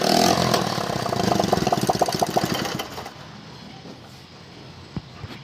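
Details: 70cc CD70-type motorcycle after magnet coil check and spark plug gap correction: the single catches and runs with a quick, even popping beat for a few seconds before shutting down; running normally.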